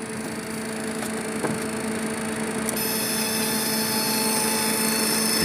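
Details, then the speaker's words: Citation Ultra cockpit preflight rotary test, landing gear position: steady high gear warning horn comes in over cockpit hum while all four gear lights (3 green, 1 red unlocked) illuminate; horn can be silenced, normal. "can hear the gear warning horn. You see the 4 lights. We can silence the gear horn and move on to the next test."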